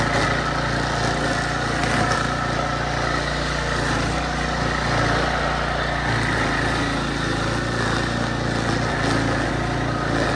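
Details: Early-to-mid-2000s Craftsman brush mower revived after 3 idle years (carburetor rebuild, air filter, spark plug, oil change, strings): steady, even single-cylinder drone holding speed through heavy tall grass, no misses or surging; healthy under load.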